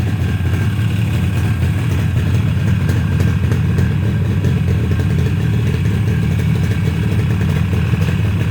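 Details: Yamaha RD350 twin two-stroke, first start after a rebuild: it fires up and revs with a steady, even crackle and no knocking or rattles. Healthy running.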